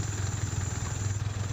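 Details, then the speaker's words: Yamaha Vixion single-cylinder, first start after a major service with a lightened cylinder block and piston and the oil refilled: steady, even low idle with no knocks or rattles; oil circulation checked at the head bolt flows well. Normal idle. "Oke, mesin sudah hidup. Kita cek sirkulasi olinya apakah bagus."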